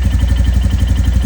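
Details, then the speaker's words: Royal Enfield Classic Reborn 350 J-series BS-6 single with 4,000 km, at cold start: steady, even low thump with only a faint light tick; normal, no clatter, before the combustion clatter that appears once hot. "yeah this is the cold start everything is normal engine is"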